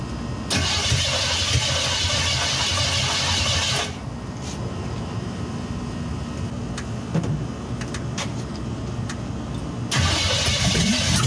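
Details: 1963 Chevy C10 with 355ci (350 bored .030 over) V8 and Turbo 350, unrun for years: starter cranks in two long bursts but engine never catches and runs; fuel starvation from dead mechanical pump, later replaced.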